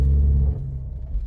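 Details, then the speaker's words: 2014 Ford Escape (engine unknown), customer feared a transmission problem over noise reversing and turning; accelerating forward: deep, loud, rough rumble booming as throttle opens then easing off, engine thumping the chassis; broken engine mount. "You hear that? It's kind of like a rough sensation. Yeah, that's like a... Whew, that's loud. That actually will penetrate like into your eardrums."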